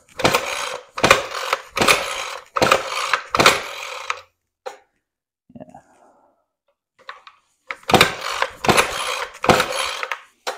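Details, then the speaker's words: Ryobi Expand-It full-crank two-cycle trimmer that shot gasoline out of the muffler, cranked at full then half choke after 10 primer presses: rough rasping bursts about once a second, never firing; flooded, carburetor suspected. "I know it's all flooded out and it even feels a little strange so let's get it apart and see what's going on I have a feeling it's something to do with the carburetor but I've never experienced this problem before"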